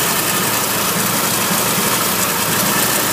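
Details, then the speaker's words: 1961 Willys Jeep CJ5 with 1957 Chevy 283 V8, manual choke, idle set slightly high for faster winter warm-up: smooth even rumble with a bit of hiss, no knocks or ticks; healthy fast idle. "It's idling. I got the idle set a little bit higher than normal, just because in the wintertime it warms up faster that way."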